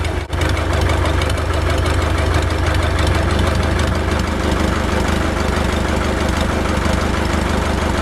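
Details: Ford 1920 diesel tractor (Shibaura-built, also sold as New Holland) idling with muffler removed; deep loud even thumping about three beats per second with raw open bark; missing muffler.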